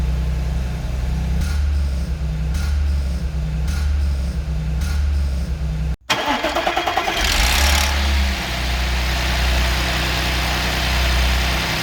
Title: Audi S4 B8 V6 (2010) - Cold start timing chain rattle - 110.000km